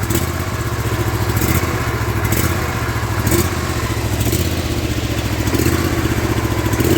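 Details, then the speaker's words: Big Toro lawn tractor with 50-inch deck after repair of a missing deck hanger, ignition on and fuel opened: small engine idle rising and falling about once a second, the same surge it had before; owner tries switching tanks. "now that's what it was doing before with that surge i'm not sure i like that"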